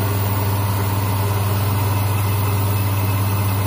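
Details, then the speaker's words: Hyundai Accent (Avega/Verna) that would not crank, after replacing the shorted, burnt starter motor: engine now starts and idles smoothly and evenly with no knocks, rattles or misses; charging 14.6 V, normal. "Nah hidup ya, ternyata dinamo starter."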